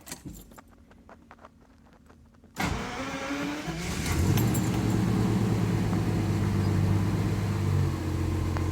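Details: 1984 Jaguar XJS V12 after auxiliary air valve rebuild (new spring, piston, gasket); cold start, catches at about three seconds, settles to fast even smooth idle: normal cold high idle.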